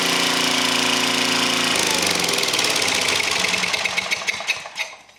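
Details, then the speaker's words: Small flathead engine on a welder, welding under load, thumps along with an uneven, stumbling beat and raspy, leaky exhaust; owner complained of no power when welding; valves not sealing, poor compression, head to be pulled. "When it was when it was just about done, how I like this thing's got a valve problem. A lot of valve issues this year already."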